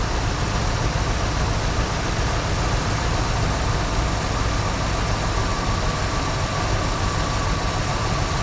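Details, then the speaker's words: 1974 Ford Bronco with automatic, first start in over 16 years after fuel system repairs, restarted after sitting 30 minutes: steady, even low idle with no knocks, ticks or misses; oil pressure picked up immediately. "Let's see how she starts. She's been sitting for about 30 minutes here. Pretty dang good. Sounds like we immediately picked up oil pressure."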